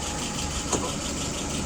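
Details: Restored, adjusted WO 636SA carburetor tested on a 48 engine: short smooth even idle, no misses, vacuum 23, pressure 2.75, no leaks or excess fuel. Normal idle.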